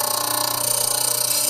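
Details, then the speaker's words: RIKON 80-805 half-horsepower slow-speed grinder, dressing the stone with the dresser on the tool rest: steady high hiss with fast regular ticking from an out-of-true stone face, becoming truer as it is faced. "and you hear the ticking that is telling me I've got to face the stone that is not perfectly true"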